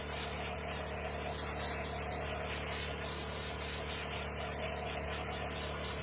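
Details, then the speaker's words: Chemical spray pump rig after tightening a fitting to chase a suspected air leak that dropped chem line pressure to nothing: steady even pump drone with constant spray hiss, no surging or sputtering; pump back to normal. "I hear it spitting there hitting water again and that's normal there I can see it cleared up"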